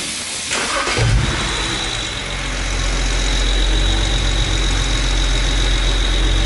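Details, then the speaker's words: BMW 135i with a cylinder 5 misfire code, just after swapping in a replacement part on cylinder five: quick crank, catches and settles into a deep even idle with no stumble; no misfire or codes now, though misfire previously occurred when warm under pulls. "it's not misfiring it doesn't have any codes either no check engine and it feels fine like it's not misfiring like it was when I did the poll"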